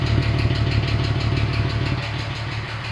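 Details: VW Passat Variant 35i VR6 after long standstill: uneven pulsing idle, about three beats a second, with light ticking on top, not running round; owner suspects hydraulic lifters, cause unconfirmed.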